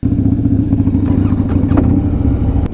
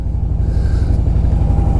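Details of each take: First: 2007 Harley-Davidson Softail Deluxe, 96 ci Twin Cam, at startup: lumpy V-twin with irregular metallic clicking and clanking over the beat; worn compensator, to be replaced with a compensator eliminator. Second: 2007 Harley-Davidson Softail Deluxe 96 ci Twin Cam, after replacing faulty compensator with a compensator eliminator: deep, even V-twin lope, no clatter or knocking; normal running, previous click-clank gone.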